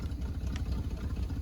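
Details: 1974 Chevy C10 old V8, sat about 5 years, revived on a temporary fuel pump: low, steady rumble with an even beat, no knocking or misses; smooth, normal idle.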